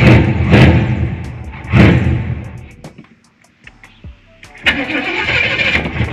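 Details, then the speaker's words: 454 big-block square-body Chevy dually, first start after fitting an Edelbrock 1411 750cfm electric-choke carb with the spacer removed: it catches and revs in bursts, sags between blips and dies unless throttle is held. Owner suspects idle set too low now that the vacuum leak is gone. "start hmm that's weird starting but it's not staying running yeah i'm not sure what that is i'm having to give it a little gas right now if i let out the gas it wants to die"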